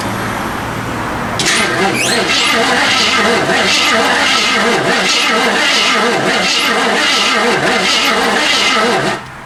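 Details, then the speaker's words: 1979 AMC Spirit AMX, sat abandoned for years, fuel poured down carb: starter drags engine slowly and unevenly, about three to four turns a second, never fires; no spark, seems low compression; slow cranking, no start. "Cranks. Doesn't crank well. Fuel. No spark. Cranks over horribly slow. Does not sound like it has compression."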